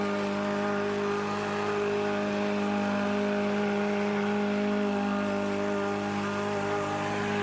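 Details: Troy Bilt TB110 mower, Briggs & Stratton single-cylinder, sat a few months then quit, fixed: holds a steady, even drone with no misses, surging or knocks; running normally.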